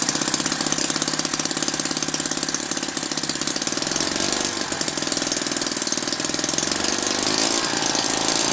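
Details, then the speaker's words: Lynx 15 small engine on two-stroke mix, after refitting the fuel pickup tube that had fallen off so the carburetor sucked air; compression is now higher and it starts easily, with a rapid, even, steady buzz; normal running. "well I'm pretty happy with that so it seems to be starting pretty easily now compression's much higher now"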